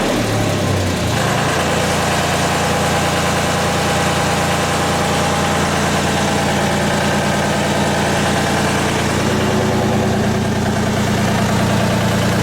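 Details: Miller 400D engine-driven welder: steady, even engine drone holding one speed throughout, no knocks or misses; healthy.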